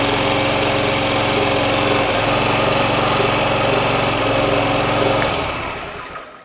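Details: Honda Ruckus scooter idling quickly and evenly for about five seconds, then switched off. The starter works fine, and the battery was found to be bad.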